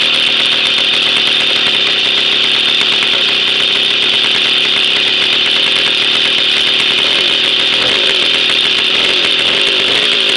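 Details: Jawa 50 type 05 moped, 1966 two-stroke engine, very first start after 20-year storage, rebuild and assembly, no cold break-in, original contact-breaker ignition and never-replaced coil; high steady buzz with raspy crackle and slight revving, running evenly: normal running.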